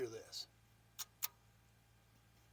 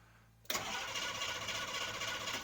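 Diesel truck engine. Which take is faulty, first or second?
second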